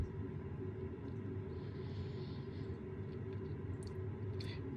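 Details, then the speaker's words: Rinnai Energy Saver direct vent wall heater: low steady fan rumble with a few sharp ignition ticks, but the burner never lights and the unit shows blinking error 11; failed ignition attempt. "so it's trying to ignite you can hear it nothing's happening and we get the blinking error 11"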